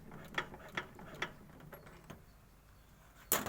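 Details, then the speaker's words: Lifan 17L 420cc engine, disassembled, crank turned slowly by hand with valves adjusted: a few light evenly spaced knocks. Not the con rod but cam lobes pushing the pushrods; the knock stops when the valve is held away. Normal valvetrain noise. "кажется что это шатун стучит но это окраса не шатун это получается вот они кулачки шток у него внутрь уходит"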